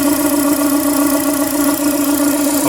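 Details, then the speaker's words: Renault Duster 2.0 at idle with the alternator belt removed, after water pump, idler, tensioner and timing belt replacement: a steady mid-pitched whine persists over the engine note, not from the accessory belt; unidentified engine noise. "Tá com esse barulho no motor. Ó, o barulho não para. Tira aqui, ó, o barulho não para. Já soltei a correia do alternador, não é nenhum rolamento, nada, tá solta a correia ali, tá?"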